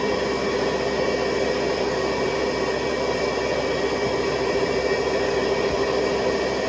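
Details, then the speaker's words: 1970s Hoover Convertible vacuum with attachment hose, motor on high speed (400 to 625 watts): steady even rushing roar with clear high whine near 400 Hz, no rattles or surging; healthy motor at high speed. "So what I'll do is I will switch it on, and then you can hear the motor shift into high speed. So they go from 400 watts to 625."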